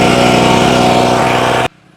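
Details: Mollar MLR-HPW2500E gasoline high pressure washer, engine already warm: small petrol engine drones loud and steady without misfire or knock, then cuts out cleanly; normal running.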